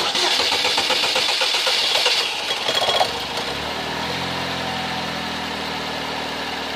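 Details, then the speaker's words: Toyota Camry (possibly a Corolla), restarted right after shut-off: the starter drones about three seconds before the engine catches and idles; the long cranking matches the fuel pressure dropping as soon as the engine is shut off. "and there we go you saw that for yourself so this is why he has long cranking times"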